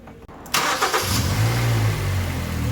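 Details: Kia Sportage 3, 122,000 km, warm engine after service (oil change Shell 5W30 to NGN 5W40, throttle and injector cleaning, new oil and air filters): cranks, catches, settles to a smooth even idle; dull metallic knock gone.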